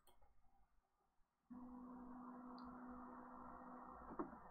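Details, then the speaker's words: BTT Octopus Pro v1.1 with TMC2130 in SPI mode, Marlin firmware, NEMA 17 stepper: a quiet, steady stepper hum as the axis travels, then a soft landing without bang or grinding. Sensorless homing works properly. "so we get the nice soft landing on the sensorless Homing"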